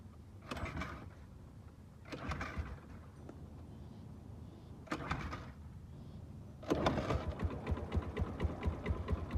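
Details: Suzuki Let's 5 scooter, four-stroke 50cc fuel-injected, after a copper wire found in place of the fuse was replaced with a new fuse and the battery seemed weak; several uneven kickstarter bursts turn it over without firing, then a quick ticking rhythm as it starts and runs.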